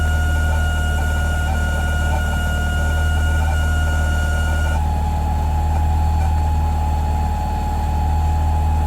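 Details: Aeromotive 340 electric fuel pump in a return-style fuel system: steady high whine over an idling engine, pitch dropping suddenly partway through; odd pump noise, cause unknown.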